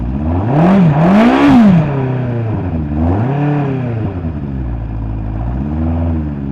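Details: 1983 Honda CB1100F prototype with a custom fuel injection system, first start after 17+ years in storage; the fuel pump draw issue was already fixed. A smooth four-cylinder note climbs and falls cleanly through several blips and settles to a steady idle; runs fine.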